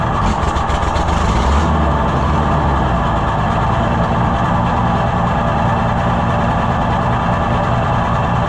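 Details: Junkyard Oliver Super 77 tractor with new carburetor, carb being adjusted, intake manifold found holed: loud, steady, even idle with a low throb and no knocks or misses; normal idle.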